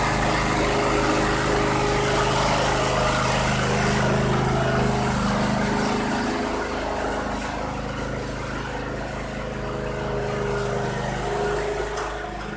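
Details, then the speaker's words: 2001 Cub Cadet 3184, Kohler CH18S 18 hp OHV engine, 848 hours, previously running rough. After a tune-up: steady, even idle with a smooth low drone and no hunting or misses. Smooth, no surging, healthy. "It's smooth so far, no surging or anything."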